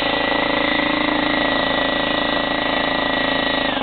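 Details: Slightly used DeWalt 15-gallon vertical air compressor, in good condition: loud steady motor drone with fast, even pump pulsing about three per second, winding down at the end. It runs normally. The tank pressure gauge is stuck, but the regulated side works.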